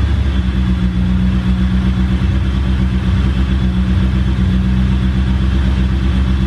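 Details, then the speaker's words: 500hp Eagle Talon idling just after a cold start, after sitting almost a month: steady, even deep drone with a constant low hum and no knocks or misses; clean idle. "I cranked it over just a teeny little bit before this and sounds good this car typically does pretty good on cold certs I think we hit like negative 2 so let's see what happens"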